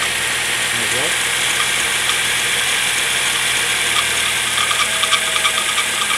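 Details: Suzuki engine recorded from under the bonnet: a fast, uneven metallic rattle, about three a second, over a steady engine run; engine checked thoroughly but the rattle's source remains unknown.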